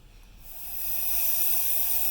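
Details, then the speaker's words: Refurbished 1982 La Pavoni Professional espresso machine, first power-up, pressure dropped to about 0.75–0.8 bar to check the pressurestat cycles: sharp, steady hiss of pressure still bleeding off the release; normal venting. "I'm still hearing pressure off the release it's down about 75 right"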